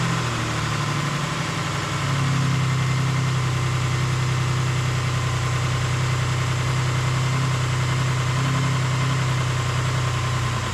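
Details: 2008 Ford Explorer 4.0L engine at steady idle after reinstallation, with the main intake vacuum line and MAF sensor reconnected: a fast, uneven light rattle, roughly three a second, over a low drone; the timing chains were found to be still rattling.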